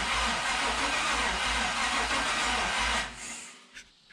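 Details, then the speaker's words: LS-swapped 4.8L '72 FJ40 Land Cruiser on its first start attempt with fuel primed: starter spins steadily for about three seconds with no catch. Only two exhaust primaries warm up despite spark, pointing to stuck fuel injectors; cranks but won't start. "okay guys so obviously didn't start and just looking at it uh i got you know two warm primaries here all the rest cold so it's trying to fire on those two cylinders which is an interesting thing"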